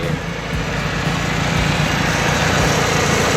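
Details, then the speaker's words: EF Honda Civic engine idling after a drive, with a timing belt that kept loosening, checked after the fix: owner thinks the bolt was too long. Smooth even idle, no belt slap, belt looks tight; cooling fans not kicking on but not overheating. "It looks tight to me. I don't see any problems at all other than the fans not kicking on for some reason."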